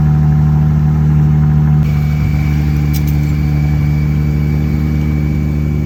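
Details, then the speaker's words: Jeep Gladiator manual transmission at idle, thin constant high-pitched drivetrain squeal that persisted after a throwout bearing replacement; first gear became hard to engage after the transmission was taken apart. "So anyways, but I'll put those videos in now of the squealing so you guys can hear that."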